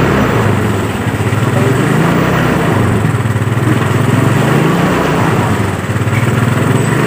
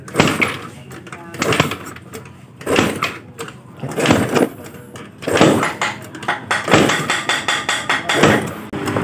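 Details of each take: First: Yamaha Mio Sporty that was dead, started after carburetor service and spark plug refit; loud single-cylinder idle whose pitch wanders up and down every second or so, pointing to a leak at the carburetor diaphragm (membrane), to be repaired. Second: Yamaha Mio Sporty scooter with total no-start, compression check with the spark plug hole covered by hand while kick-starting: sharp, strong air puffs burst out evenly about a second apart; good compression.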